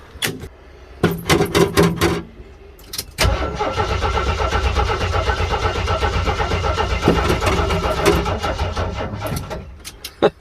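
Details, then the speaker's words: Jeep CJ 258 4.2L with a MaXpeedingRods Carter-style carburetor, after sitting a month: starter cranks steadily about four beats a second but the engine never fires; owner thinks it needs a new battery and suspects it is losing prime. "nothing i guess i need a new battery boys"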